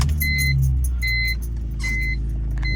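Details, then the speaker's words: 2003 BMW 330ci coupe, just under 130,000 miles, starting right up with no check engine lights; engine settles into a smooth, steady low hum under door chimes, no misses or knocks. Normal idle. "you can see, starts right up. No check engine lights on this car."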